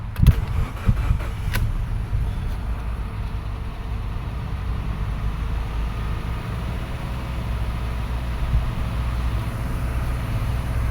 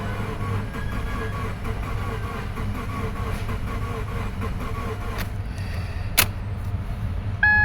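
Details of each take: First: 2013 Subaru Forester SJ, FB16 naturally aspirated, crank no-start after parking: catches after a few rough beats and settles to a smooth, even idle; compression fine, the fault was excess fuel in the cylinders clearing out. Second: 2013 Subaru Forester SJ, naturally aspirated FB16, no start after parking, cranked on a jump pack: fast, uneven, lumpy cranking with no catch; flooded cylinders or lost compression suspected.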